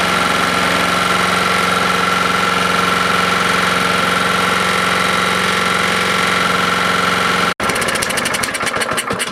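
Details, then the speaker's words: Husqvarna lawnmower engine, running just after a spark plug swap: uneven choppy running with knocking edge about three beats a second, then cuts out on its own; owner suspects bent push rod, valve not closing or bad rod. "yep i just quit on its own i could hear it breaking up something's not right here"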